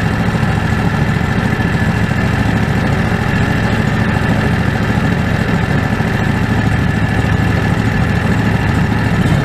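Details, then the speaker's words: Predator 670 V-twin after adjusting the stock carburetor (brass caps removed), fed by an electric fuel pump with a crankcase vacuum line. Low, steady thrum at an even idle with no hunting or stumbling. Factory idle was unstable; now stable and much better. "already much better before I wouldn't even item go it needs a stable now so I'm happy I think this is gonna work out pretty well"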